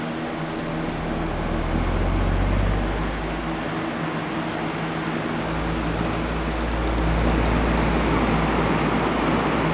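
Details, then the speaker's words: Fan with a possibly broken gearbox and a substitute screw: steady low hum with a rough, uneven drone; owner first suspects an off-balance blade, later thinks the motor, source unconfirmed; noisy fan. "Okay, it is definitely making noise from something. I'm not sure what it is."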